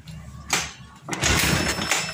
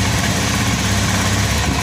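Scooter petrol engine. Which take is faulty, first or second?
first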